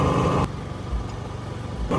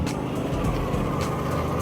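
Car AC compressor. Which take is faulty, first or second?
second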